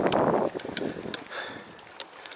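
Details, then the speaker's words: Nishiki Colorado mountain bike on trail: short chirping squeak about every half second with each pedal stroke over trail noise, a squeak from the pedal area. "My pedal is squeaking. I don't know"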